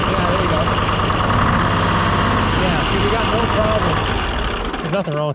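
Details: Detroit diesel car crusher whose hydraulic pump would not pull oil from the tank, now run off a bucket: steady diesel chug with even pump drone, no whine or cavitation rattle; pump fine, tank stem suspected plugged by ice or sludge.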